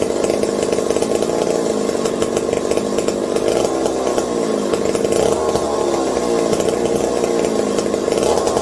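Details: McCulloch 740 chainsaw after coil gap fix and swapped spark plug: steady high-pitched two-stroke buzz, even and unbroken, no misfires; runs clean. Owner hopes no air leaks; loose carb linkage wants to hold about quarter throttle and may run lean.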